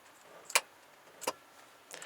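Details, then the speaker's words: Van battery isolator relay manually switched on by applying 12 V to its trigger lead, because it was not seeing 13.8 V: two sharp, clean clicks about three quarters of a second apart. The relay pulls in properly. "you just apply 12 volts to this little lead here and it will switch in fact listen you'll hear"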